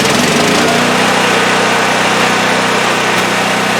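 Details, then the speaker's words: Champion 5500 W generator after overdue maintenance (oil change, spark plug, oiled foam air filter, replacement battery), started with choke then choke off: steady even buzzing idle at constant speed, no misses, surges or knocks; running good. "that sounds like it's running good. I'm going to put a load on it now. I had an electric heater here for a load."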